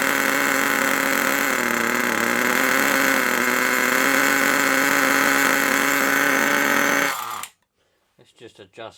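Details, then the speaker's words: HotBodies 3.5 nitro engine in an HPI Savage 21 RC truck, after turning the idle screw out: high, steady, even idle buzz that cuts off cleanly; idle sounds healthy. "turn this out so it's uh there we go that should now there we go that's better"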